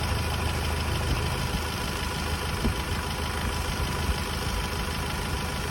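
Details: Hyundai Starex D4CB diesel, fully hot, after replacing fuel injector washers to cure smoking: even diesel clatter at steady idle with no misses or added knocks; only slight smoke remains, the engine sounds healthy.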